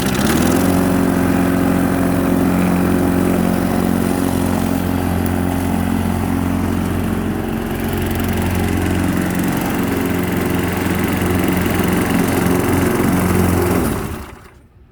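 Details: Push mower that previously ran only on starting fluid, started with starter fluid because its fuel was about a month old: steady, even putter with a constant low hum for fourteen seconds, then a clean shutdown; running smoothly.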